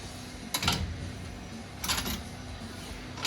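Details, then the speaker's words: FOX 3.0 shock absorber from a 2023 Polaris RZR Pro R turbo after repair of a knocking complaint: hissing surges about every second and a half as the shock is cycled, with no knock at the end of travel; shock working normally. "никаких уже Звуков нет как было так что всё отлично"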